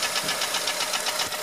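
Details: 2004 Honda Element EX AWD, 2.4 L i-VTEC, 167,000 miles, valves adjusted, timing chain checked and serpentine belt removed with the noise unchanged, no check engine light: rapid, regular, sharp metallic knocking over the idle; piston slap in cylinder 1.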